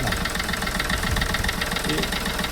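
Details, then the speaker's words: Chevrolet Beat with 120,000 km, before repair. Smooth engine at steady idle with a rough puffing chuff underneath. Excess crankcase pressure is pushing oil out, and the problem returned within 1000 km of a new original PCV filter. Crankcase blow-by. "നല്ല smooth എഞ്ചിനാണ്, പക്ഷേ ഡീകംപ്രഷനാണ് പ്രശ്നം."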